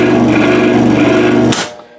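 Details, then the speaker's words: 5HP Dayton farm-duty three-phase motor on 240V single phase, one phase open: heavy steady low hum, spins slowly but never comes up to speed and would sit humming until it burns up; single-phasing, motor fails to start. "so right now if I turn it on its going to spin real slow but it's not going to take off the way it shoot it's just gonna sit here and home"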